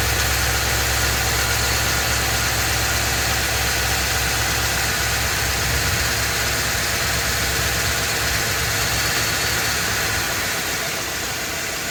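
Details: Ford F250 7.3L Godzilla gasoline V8 on a hot day, serpentine belt removed per a TSB, idling with slight load. Steady knock over a loud idle persists with the belt off, so it's internal; engine later replaced.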